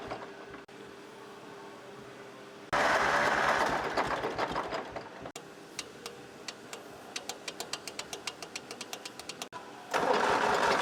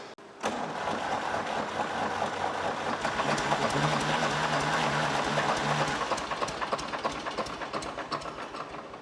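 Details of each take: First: 1964 Lamborghini R2 diesel tractor after priming a fuel pump run dry: catches in uneven bursts, then settles into a steadier tick as trapped air bubbles clear from the bled fuel system. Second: 1964 Lamborghini R2 diesel tractor no-start after loosening injector lines to bleed fuel; steady rhythmic cranking about three turns a second without firing, may need bleeding again: cranking no-start, air in fuel system.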